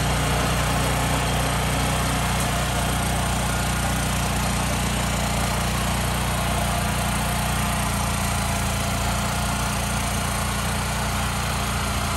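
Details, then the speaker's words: Mini tiller (管理機) with a small single-cylinder engine that lacked power, test run after cleaning its clogged air cleaner and inflating flat tyres: steady, even beat with no misses or surging; runs clean and strong. "とりあえずは作業できますから音が本当に全然違うもん"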